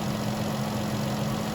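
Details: Vehicle with a no-crank, no-start in about -10 cold after a new battery: steady, even low hum with no knocks or misses, idling at 14 V charging just before shutdown; normal idle.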